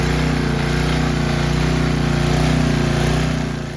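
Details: 10 HP Tecumseh engine on a 5250-watt generator, started on choke after the carburetor was replaced; the unit had been sitting. Steady, even single-cylinder chug with no stumbles or surging. Normal running.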